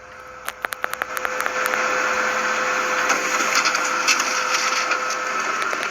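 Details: Kyocera M3660idn printer after lubricating the rear roller shaft whose friction caused loud screeching while copying; a few clicks then steady whirring feed with light hum and no screech, normal running.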